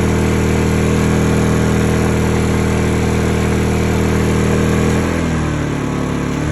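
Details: Honda EU2000i (EU20i) generator, eco ("rabbit") mode toggled, after a stale-fuel rough-idle fix; steady, even hum dropping smoothly to lower speed after about five seconds, no hunting or surging. Normal idle.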